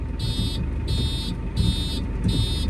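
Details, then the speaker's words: Tractor in-cab warning: high buzzing beeps about half a second each, repeating steadily over a diesel idle, meaning it is in gear with the handbrake on. "In the tractor, it just means you're in gear but the handbrake's on. Not as critical."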